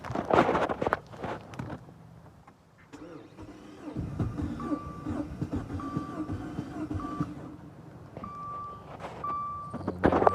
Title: 2015 dodge dart crank no start